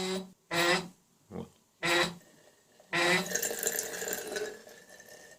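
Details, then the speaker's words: Household water tap, on opening: short loud tonal honks like a ship's horn, then rushing water with steady tone; tap also seeps water; worn/loose ceramic cartridge (kran-buksa) discs. "Кран гудит, как корабль."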